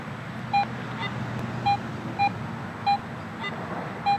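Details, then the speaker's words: Garrett AT Pro metal detector after automatic ground balance (coil pumped above ground): quiet steady hum with short clean mid-pitch target tones about once a second, no ground chatter; target reads about 8-inch depth. "I'm not getting that ground reaction. I've got good, clean, huntable, situation here where I'm not picking up the ground."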